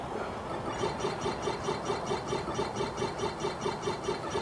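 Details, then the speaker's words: Philips CD-i 210 during drive repair, disc loading: soft even whirring with steady pulse about three times a second as the disc spins and reads; normal disc spin. "you know can hear the CD spring with various things there as it was loaded and stuff"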